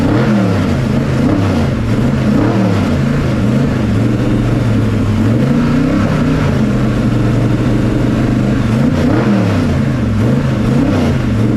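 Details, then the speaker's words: Pro street 1969 Camaro with 540ci Chevy big block revived after sitting, old fuel and carb bowls drained: lopes and surges at idle, pitch wandering unevenly; timing suspected; rough running, will not idle. "okay it runs it doesn't run well but it runs it doesn't idle and no it doesn't"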